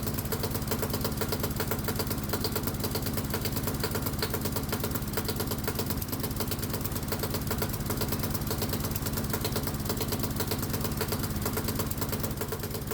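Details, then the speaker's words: Modified hot-bulb semi-diesel lawnmower single, spark plug disconnected, switched from 50-50 vegetable oil/gasoline to pure vegetable oil; quick uneven labouring firing, engine unhappy as oil is too thick to atomize. "And I think that was way too much. The engine doesn't sound happy. So yeah, the engine will definitely run on a 50-50 mix, but it won't run on 100% vegetable oil for a number of reasons"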